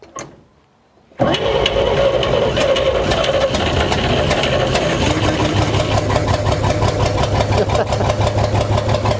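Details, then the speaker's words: 1940 Chevy Dubl Duti truck, first start in years after clean fuel line and gas primed, choke cable loose: catches and settles into a steady, even run, no misses, knocks or smoke; normal running. "the choke was wide open so i choked fell loose there i have to get that cable hooked back up but yeah sounds good yeah i don't see no smoke or anything like that"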